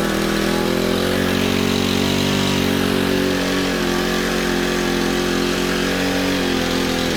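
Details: Honda FG110 tiller with GX25 engine, owner-fitted Amazon carb that only ran on choke: uneven low loping idle that wanders and sags, never settling; poor idle, suspected untuned carb.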